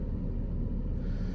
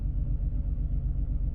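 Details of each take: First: Engine after a cylinder 3 misfire was fixed by replacing overheated spark plugs, with no pending or stored codes: steady, even low rumble at idle with no stumble or skipped beats. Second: Misfire test at idle: coil swapped after a cylinder 3 misfire code; deep, lumpy idle with uneven pulse, engine shaking hard; if the misfire moves to cylinder 2 the coil is faulty, if it stays on 3 the spark plug is next.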